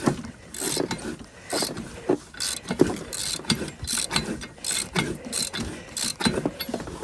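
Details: 1973 Yamaha snowmobile, locked up after sitting 8 years, engine full of transmission oil: turned over by hand with irregular ratcheting pulls and scraping clicks, no firing; stiff engine, probably with ice inside.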